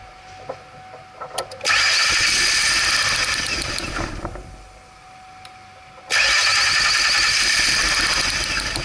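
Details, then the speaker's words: 2002 Mercury Sable, no-start: choked, flat cranking in two bursts with a back pressure gauge fitted in the O2 sensor port, reading excessive back pressure; clogged exhaust, and the engine runs with the O2 sensor removed. "It's not staying under one. This exhaust is clogged."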